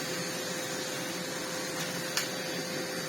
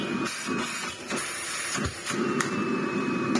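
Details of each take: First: Miele CX1 Comfort XL bagless cylinder vacuum with power nozzle, max light flashing, before service: steady motor drone with a thin fixed tone and little airflow rush, one brief tick; loss of suction. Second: Miele CX1 Comfort XL bagless cylinder vacuum, after service for loss of suction: steady airy rush with faint high whistle on top, strong airflow from filter; a slight air leak was spotted.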